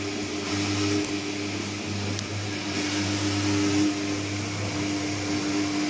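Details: New Candy Trio 9501/1X: constant low hum with a ringing mid tone throughout; loud operation, humming and resonance, cause unclear.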